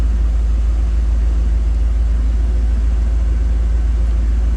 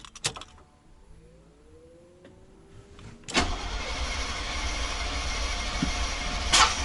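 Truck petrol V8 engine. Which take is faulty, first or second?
second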